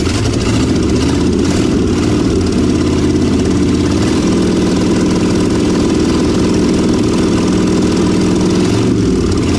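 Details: 1956 Chevrolet 3100 half-ton with 396 big block V8, first start after long storage: lights off and settles into a steady, even lumpy idle with a couple of throttle blips; runs cleanly.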